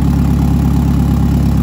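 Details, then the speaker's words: Eagle Talon 4G63 engine running: a smooth, even low idle with no knocks or ticks and no struggle to start. An oil leak from the front of the engine is traced to a forgotten part. Normal idle. "But as you guys can see, everything was running perfectly fine. The timing was perfect. It literally did not struggle to turn on, and there was no problems whatsoever when it comes to that."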